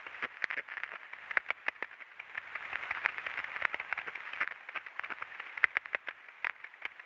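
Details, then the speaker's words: Ultrasound recording of a defective rolling bearing on very slow equipment at 14 rpm, with variable load and speed and direction reversing every 20-second cycle: sharp uneven clicks and crackles over a quiet background; bearing impacts. "agora olha a forma de onda de ultrassom do rolamento defeituoso desse desse equipamento"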